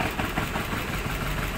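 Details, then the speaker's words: Maruti Suzuki Baleno petrol with check engine light, vibration and poor pickup, idling with an uneven stumbling misfire; unplugging cylinder 4 changes nothing, so cylinder 4 is dead, coil or plug suspected. "य देख कितना हमारा गाड़ी missing कर रहा है देख सकते हैं आप यह"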